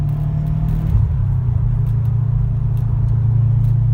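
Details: 2013 Subaru STI, 265 hp turbo, after fixing a no-start from broken crankshaft sprocket teeth, driven uphill: deep, even exhaust rumble with a rally-car whine, no knocks, rattles or misfires; pulls cleanly.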